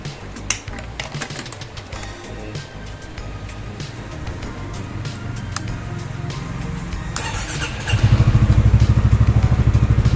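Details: Yamaha XMAX300 scooter idling after a valve adjustment: valve clearance had measured 0.40 against a 0.06–0.125 spec and was noisy, now set correctly. Quick, even idle pulse with no valve clatter; quiet, healthy top end.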